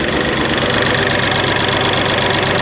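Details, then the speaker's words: 1988 Ford Festiva with 1.6L EcoBoost from a Fiesta ST, stock turbo: idle with uneven fluttering pulse and delayed throttle response; owner suspected low-pressure fuel side, fault later traced to wiring. "You can hear that like flutter. I don't know if it's a low pressure side fuel thing."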